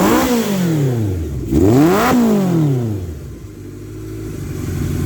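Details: 1978 Kawasaki KZ650 motorcycle, sat about 20 years, carb jetting nearly dialed in, cold windy day, heard from behind the bike: crisp throttle blips settle back to an even, smooth idle with no knocks or misses; normal healthy running.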